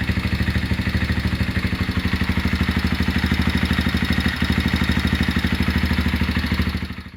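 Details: Honda GL Max Neotech engine idling before teardown, with complaints of rough noise, oil seepage and possible compression loss: coarse clattering tick riding each beat, about three a second, from the head and clutch area; timing chain and rocker arm noise.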